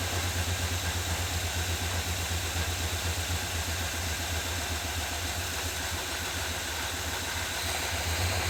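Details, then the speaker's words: 1978 Chevy C10 square body V8, first start after adding fresh gas, smoke from burning off old fluid, suspected transmission leak, oil pressure gauge not moving: deep even V8 burble, steady beat, no misses; normal idle. "But hey, it runs pretty good."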